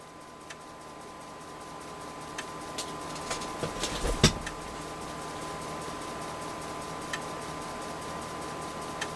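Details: Convergent Technologies AWS formatting an 80-track disk on a substituted 3.5" floppy drive, real disk media, near tracks 60–71: faint, sparse, regular head-step ticks over soft drive hum; normal formatting run.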